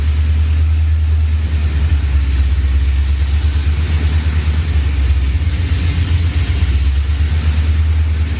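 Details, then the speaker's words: Ford SVT Lightning V8 with 3.4L Whipple, forged block, stock crank, ARP studs, new oil pump, and new bigger heads and cam after the rebuild. It needs a little gas to keep idling, then the deep lumpy idle rises and sags, attributed to the bigger cam. "i mean you have to give it a little gas just to keep it on idle and then it idles pretty good and then kind of goes up and down but it's understandable has a bigger cam bigger heads"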